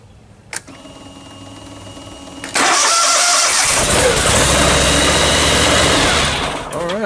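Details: Car jump-started with a Spanarci ZETA 2000 battery jump starter: quiet, then engine catches at once and runs at a steady, loud, even roar; cranked and started fine.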